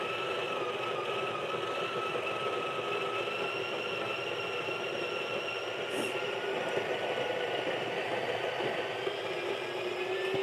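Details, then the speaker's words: Breville Barista Pro/Express built-in grinder grinding an 18 g dose of very light roast beans: high, steady motor whine with a labored edge; grinder a little struggling on hard light roast. "you hear that is a light row so you can Grinders a little struggling"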